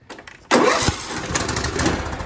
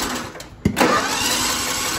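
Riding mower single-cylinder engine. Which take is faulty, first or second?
second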